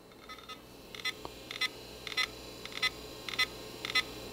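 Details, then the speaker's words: Toshiba Satellite 4015 retro laptop at first power-on; high chirps repeat about every half second in steady pairs, which the owner suspects is the hard drive rather than a beep code, not confirmed. "yeah that noise is not I don't think it's an actual beeping I think that's the actual hard drive"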